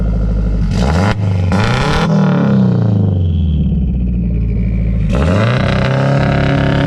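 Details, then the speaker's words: Home-built turbocharged Honda CR-V, after repair: suspected misfire running on two cylinders was actually a faulty injector wire; now being tuned: three quick throttle blips, revs climb and fall cleanly with even exhaust note, running much better. "Turns out it wasn't a misfire, it was a injector wire, and he's doing some tuning right now, but it's running a lot better."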